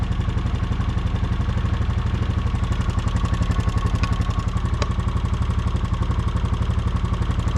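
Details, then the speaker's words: 2015 Honda Foreman 500 4x4 single-cylinder engine idling with a light quick tick; checked with a screwdriver as a stethoscope, owner suspects the fuel injector, possibly intake valve lifter; not confirmed. "Get ourselves a long screwdriver like this. And we put this in various spots and then put our ear to it. Cup our hand, put our ear to it. Yeah, I think it's this injector."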